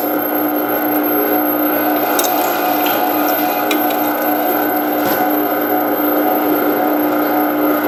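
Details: Meat Your Maker 1 HP meat grinder, new, on a test grind: steady mid-pitched motor drone and even gear hum at constant loudness, no clunks or strain; running well, good enough to skip a second pass on the bigger plate.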